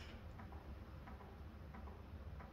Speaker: it just doesn't sound right it sounds like it's it's got a cane sounds sick